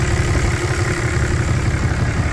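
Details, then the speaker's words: Idle on a 4th-gen Ram 3500 Cummins after an HE351VE VGT turbo rebuild; actuator set from a video but not yet resynced or relearned. Deep, steady diesel clatter with even low pulses, no surging or whistle; sounds as it did before the turbo failed. Normal idle. "still going to need reync or relearned or whatever to my knowledge. But I mean that's how she sounded before."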